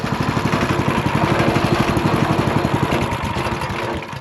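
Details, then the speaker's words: Scrapped Ridgid RD80770 3800 psi pressure washer engine after fuel system flushing with the carb off: quick steady beat, about four pulses a second, no knocking or misses; sounds okay, though smoking, owner suspects bad rings burning oil. "But I mean, that seems okay to me."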